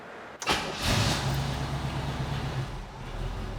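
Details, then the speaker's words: 1968 Chevrolet Camaro, 350ci small-block V8, Holley 4-barrel, Edelbrock intake, long-tube headers, 2.5-inch dual exhaust: short crank catches quickly and settles to a steady even rumbling idle, no knocks or misses; healthy. "I'm gonna go ahead and put the car down, fire it up, you can take a listen to the engine."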